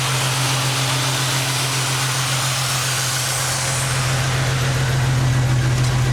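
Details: Ford Mustang idling with an uneven, lumpy beat that stumbles now and then: random misfire (P0300) traced to an intake manifold vacuum hose not attached correctly; P0171 remained, suspected clogged fuel filter or fuel pump.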